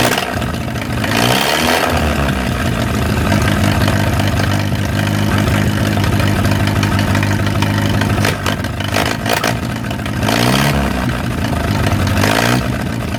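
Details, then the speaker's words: Old flathead 4-cylinder (1937 Willys) generator engine revived after sitting 15–25 years, started after a leak fix and left idling to warm up; steady, even low-pitched idle with a couple of brief throttle blips. Normal idle. "I think it is time to start this thing up and let it run. All right, here we go. Oh. I'm just gonna let it sit there and run for a little while, warm up."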